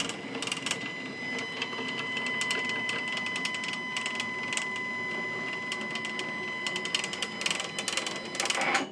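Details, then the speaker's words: Stepcraft 840 CNC, new machine during setup, axis homing with about 2–3 mm play noted: a high, steady stepper whine with rough scratchy clicks along the travel; the axis grinds on its rails, owner says it does not sound good. "that that did not sound good that does not sound good my friends let's go home one more time"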